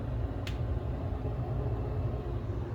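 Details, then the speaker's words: Mr. Heater Big Maxx 80,000 BTU garage heater converted to propane: blower fan running after electric-start ignition, a steady, even low rumble with one light click, about as loud as a home furnace; normal fan operation. "and you can hear it I mean it's not you know ridiculously you know it you're going to hear it run it's not super like silent or anything but it's almost like your furnace at home maybe a hair louder"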